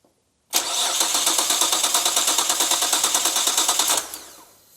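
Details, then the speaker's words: Nissan R32 GT-R after full restoration and engine rebuild: the starter spins the engine at a steady fast rhythm, about three beats a second, but it never fires. Fuel pressure is confirmed, so an electronic fault is suspected, such as the ECU not plugged in or a hidden immobilizer. "We definitely have fuel pressure now. So, now it's going to be something electronic, I'd say. Like ECU not plugged in or some sneaky immobilizer somewhere."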